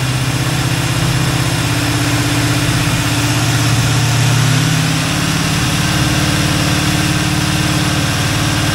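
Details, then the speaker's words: Kevin's Chevy El Camino V8, engine hot, idling after the timing was checked: steady, even low rumble with no lope left, running smooth on all eight. Sounds much better; normal idle. "it does sound a lot [Music] better that big Cam went away"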